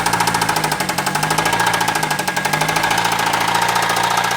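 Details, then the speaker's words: Chrysler/Dodge 2.4 L engine run with coolant drained: loud, fast, even metallic knocking over idle every turn, with a light harmonic ting from the flywheel; knock and tap come from the engine, possibly a blown bearing; serious engine knock. "The little lightweight ting is the flywheel. It's more of a harmonic than it is a knock or a tap. The knock and tap's coming from the engine. Yeah, I mean, there's no coolant in this sucker."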